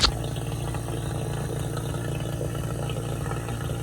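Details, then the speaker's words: 12k BTU mini split install before charging: vacuum pump pulling down the line set, steady low fast-pulsing drone with even chug, no rattles or surging. Normal vacuum pump operation, though pull-down took long. "You can hear the compressor running. And once it hits -30, pulls off all the vacuum, it's going to make a different noise."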